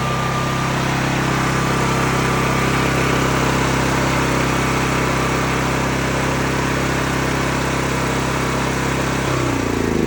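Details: Cat RP8000E generator, owned about 5 years, running with the faulty CO sensor bypassed by a switch set off; steady even drone at constant speed, no surging or misses for about nine seconds, holding its run.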